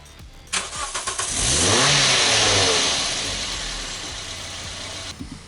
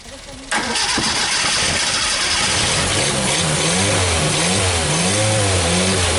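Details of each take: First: 1974 SEAT 127, stored since the 1990s, first crank with fuel bottle fitted: starter works and spins the engine steadily with a whir but it never catches; fuel pump appears dead as the bottle stayed empty, pump to be replaced. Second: 1974 SEAT 127, stored since the 1990s, started on carburetor fed from a full fuel bottle: catches almost instantly and idles on a steady, slightly wavering beat for about ten seconds before dying; engine runs and sounds good.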